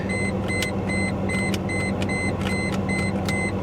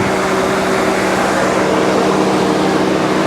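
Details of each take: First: Mercedes S420 W140, jump-started, idle: uneven lumpy V8 with irregular pops, misfiring badly, under a warning chime beeping about twice a second. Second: Mercedes S420 (W140) at idle with AC on: even, steady hum with cooling fan roaring at apparent maximum on top; no knock or tick despite oil pressure gauge reading, suspected faulty gauge or sending unit; engine idles healthily.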